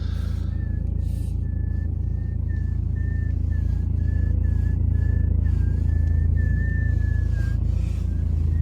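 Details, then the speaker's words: BMW 3 Series E90 in winter, December, with the engine idling: a thin, high whistling squeak in short chirps as the steering wheel turns. Source unknown, suspected to be a rubber part. "Руль в BMW скрипит и свистит. Поэтому слушайте очень внимательно."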